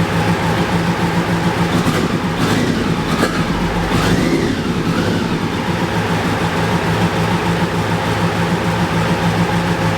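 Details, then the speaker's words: BMW K100 cafe racer: even steady engine hum, no knocks or misses beyond a brief passing swish; idling healthily. "so i just wanted to tell you the end of the story the bike is running nice and smoothly and i finally finally figured out the problem"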